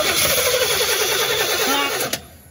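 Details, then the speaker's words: 1987 Chevy C10 that sat about 15 years, cranked on starting fluid sprayed in the throttle body: steady cranking, one weak catch, then it dies; turns over but won't run, no fuel coming through, fuel tank switch suggested. "there's no fuel coming through okay try it again yeah it's gonna stall out because there's no fuel"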